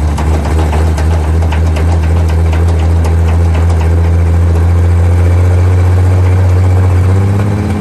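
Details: 1947/1949 International 1-ton flatbed truck, sat about 50–53 years, revived: deep steady low drone with even beat, lifting slightly as it revs, no knocks; old six runs smoothly.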